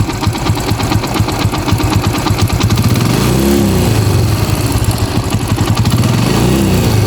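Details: TVS Apache RTR 2V 160cc motorcycle just started, steady single-cylinder idle with a fast, light mechanical chatter over the beat; timing chain noise, chain possibly loose, fix is to tighten it if adjustable or replace it.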